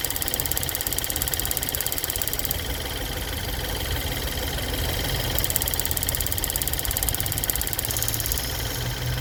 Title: Ford Fusion 2013 1.6 Ecoboost Ticking noise, Problem found BAD purge valve #fusio #ticking #ecoboost